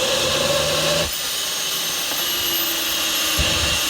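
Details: Rover gas turbine, not run for a while, spun by KC-135 pneumatic starter: steady high rushing air, no light-off roar, cranks but never fires; owner suspects electrical fault or high-pressure shut-off valve closing.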